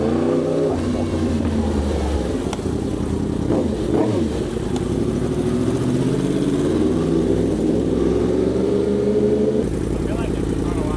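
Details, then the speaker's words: 2025 Yamaha R1 on a test ride after new spark plugs and air filter: engine pulls cleanly, pitch climbing smoothly with even firing; sounds better and cleaner-running than before the service. "The bike looks good, sounds good, running good. It definitely sounds a lot better. Sounds like it's running cleaner."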